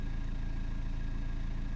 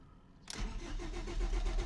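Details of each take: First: BMW 320td diesel just after low pressure fuel pump replacement (limp mode, low fuel pressure logged; fix uncertain), after a slightly hesitant start: short stretch of steady, even idle with smooth low beat, no knocks or misses; normal idle. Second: BMW 320td diesel after low pressure fuel pump replacement (limp mode, low fuel pressure logged; fix uncertain): starter churns nearly two seconds before the engine catches with a flare, then settles to steady idle; hesitant start.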